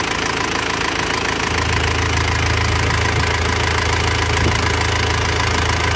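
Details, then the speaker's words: Panther diesel that burned 10 litres of oil between Jakarta and Blitar, after repair. Idle with a light, fairly even ticking clatter about twice per second; valve clatter, with the valve clearances still needing adjustment. "Ini sudah kita coba, tapi rasanya ini masih perlu setel klep lagi, suaranya agak kemeracak klepnya."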